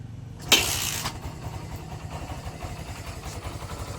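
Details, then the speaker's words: Barako 175 cold-engine start after a carburetor tune, air cleaner cleaning, fresh fuel, valve clearance, an extended high-tension wire and a new spark plug cap. It catches at once and settles into an even, quick idle with no stumbles. "Yan. Testa na. Malamig siya. Malamig ang makina."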